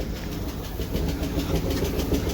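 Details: 2000 Chevy Camaro convertible sitting a few years, crank-no-start with no power at fuse box, first start on jumper: low uneven rumble with irregular thumps; runs rough but alive.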